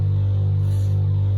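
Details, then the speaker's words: Caravan Truma air-conditioning unit, before its warranty replacement: a deep hum that throbs and pulses about four times a second instead of running smoothly. The annoying pulsing could be heard outside, and people asked for it to be turned off. "throbbing sort of pulsing noise that uh is really annoying. And to be honest, people can hear it outside as well."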